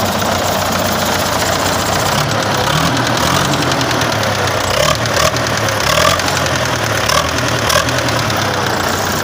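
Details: Engine idling with a light, steady tapping that keeps pace with the engine; the knock has persisted about four years, and the owner checked the camshaft and restored the injectors and pump without finding the cause; engine knock at idle.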